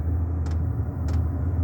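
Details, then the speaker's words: Diesel air heater heating a house, outdoors near the unit after about a minute of glow plug warm-up: steady low burn-chamber roar, fan motor, soft diesel pump tick roughly every 0.6 seconds; normal running. "That's the pump ticking. The diesel pump, and you hear the motor going, and the roar from the burn chamber."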